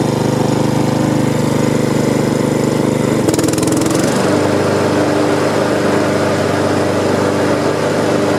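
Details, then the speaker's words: Honda HRX217 mower, almost new, stress test after oil-leak repair: smooth, even run with a brief load change about three seconds in but no stumble; healthy engine. "i am going to stress test it this is a the mower is running real smooth you can see"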